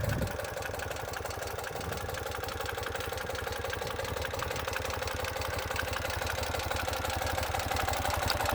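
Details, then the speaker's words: Fuel-injected Ural twin with the electrojet throttle body system (2014–2018 style), idling: steady, even low thumping with no knocks, misses or hunting; healthy idle, with a slightly different sound from the carbureted bike. "so you notice how the fuel injected has a little bit different sound"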